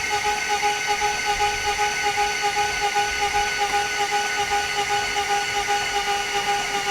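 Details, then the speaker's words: Mr. Mullet's engine just refitted, cranked without starting to build oil pressure: steady starter whine with even pulsing about two and a half times a second, turning over without firing; no smoke, wiring OK. "Matt we're going to get all pressure up in this thing now and mum's gonna be like oh you don't start it you just crank it"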